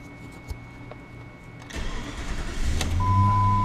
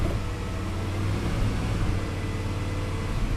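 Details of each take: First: 2001 Jeep Grand Cherokee 4.7 V8 after replacing and programming the faulty PCM: short crank, clean catch, smooth steady idle with a chime, no check engine light; normal start and idle. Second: 2001 Jeep Grand Cherokee 4.7 V8 at idle: low, lumpy rumble pulsing in a rhythm matching the auto shutdown and fuel pump relay cycling, check engine light flashing slowly, no codes; rhythmic misfire from a faulty PCM.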